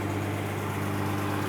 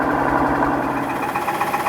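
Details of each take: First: 2015 Mercedes-Benz S65 AMG after full engine rebuild, idling smooth and even with a steady low hum and no knocks or ticks. An earlier noise was traced to the starter motor touching and went away when its bolts were loosened. The engine is fine. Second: 2015 Mercedes-Benz S65 AMG, first start after a full engine rebuild: a quick, even knock about four times a second over the running engine. The cause was the starter motor body contacting the engine, not an internal failure.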